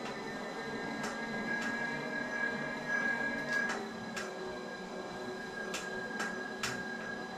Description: Wahoo Kickr bike creaking noise issue.